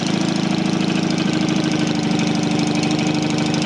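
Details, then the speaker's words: Freshly rebuilt Matchless G12 twin (replaced crankshaft, conrod, main bearing) just cold-started on choke, held at fast idle while warming; fast, even, slightly lumpy beat, no knocking. Normal cold fast idle. "warm up now when she's which is really warm she'll take over a bit faster so at the moment i'm just keeping it going a little bit"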